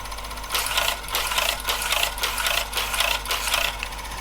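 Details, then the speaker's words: HP 9120A printer after print head repair attempt, running self-test program with paper fitted: rapid, even buzzy ticking about twice a second with crisp high chatter; healthy printing. "you can hear me printing very clearly this is what's on the display of the printer it's running the self-test program"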